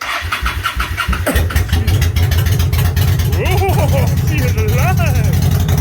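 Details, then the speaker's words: Motorcycle after winter storage, choke on, fuel just turned back on: brief cranking then catches into a loud, steady, slightly lumpy idle to warm up in spring; normal cold start. "I love that sound. It's so loud. So I'm going to step out here and let her warm up"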